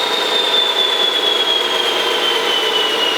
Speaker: instead I have to sit here and wait for this thing to spin down you know because it just takes forever